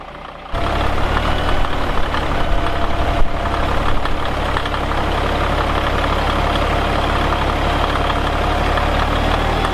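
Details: Caterpillar 1693 diesel in a 1977 Peterbilt 359 toterhome, warmed up: it settles into a steady, deep idle with an even clatter and no stumbling or dying. Normal idle.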